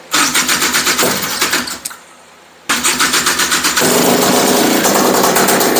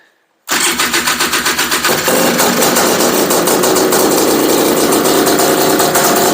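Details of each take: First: Honda Odyssey FL350 two-stroke with new DG exhaust and Keihin carburetor, first start: fires, dies after a couple of seconds, then restarts into a slow popping idle about four beats a second; idle set too low. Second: Honda Odyssey FL350 two-stroke buggy, first start after DG Extreme exhaust and Keihin carburetor install, on VP racing fuel, choke off: rapid cranking, fires at about two seconds and holds a steady, crisp, even run; healthy.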